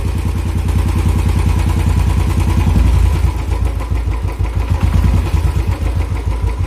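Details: Royal Enfield single at idle: thump with a loose, uneven clatter riding on each beat, about three per second; abnormal engine noise, cause unknown.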